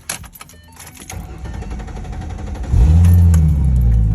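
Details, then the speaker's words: 2010 Ford Mustang 4.0L V6, previously idling rough with sluggish acceleration, starting just after a new MAF sensor was fitted and the battery disconnected to reset the PCM: a few seconds of rattling and clicks, then it catches into a steady low rumble; a normal start. "Anytime that you like reset, it's gonna take a second for it to come back and be able to start right back up, because all of the essential functions of the engine were disconnected because of the battery. So right now it's starting back up."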